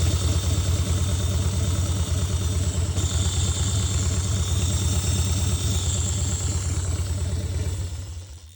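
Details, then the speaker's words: 2000 Harley-Davidson Dyna FXDX at idle: loud lumpy idle with a steady metallic clatter, about three raps a second, from the cam chest; the cam chain tensioner had come apart, pieces found, bottom end undamaged. "So, looks like my cam chain tensioner came apart, but everything else doesn't look crazy."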